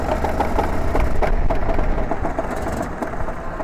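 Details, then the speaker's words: Racing kart leaving the pits at the Kerpen track in the wet: over the engine, an uneven light ticking rub about three times a second from the brand-new chain guard, which soon failed. "That is our brand new chain guard, and yeah, it's already giving us trouble."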